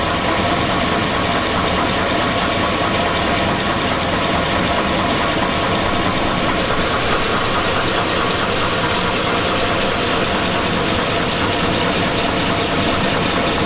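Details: 2002 Chevy Avalanche 5.3L V8. A loud, steady engine clatter has a deep metallic knock through it. The owner says it sounds like rod knock, pointing to a worn rod bearing, and mechanics advised against repair.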